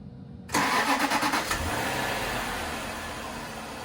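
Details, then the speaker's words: 2007 Jaguar XJ8 Vanden Plas V8, 99,000 miles, first start after replacing a six-year-old dead battery: a quick, strong crank for about a second, then it catches cleanly into a smooth, even idle; normal healthy start. "I think it fired up quite nicely."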